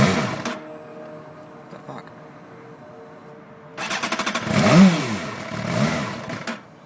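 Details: 2008 Suzuki GSX-R750, hot after a 2.5-hour ride then sitting an hour, temperature reading about 129–131°: cranks in short pulses before catching, revs unevenly, won't hold normal idle; smoothed out after about four minutes. Hard starting, rough idle.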